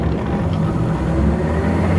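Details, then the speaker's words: Harrison L6 12-inch lathe after repair of its non-working clutch: steady low hum of motor and pulley spinning freely with no roughness or knock; running smooth, normal. "that's a good sign. It's spinning."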